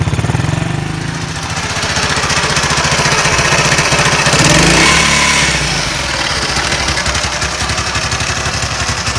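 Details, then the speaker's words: Honda US100 motorcycle after tappet valve clearance set by feeler gauge: quick steady putter about four beats a second, no ticking; clean healthy idle. "अब motorcycle को US 100 को start करते हैं। आप इसकी आवाज़ें सुनें।"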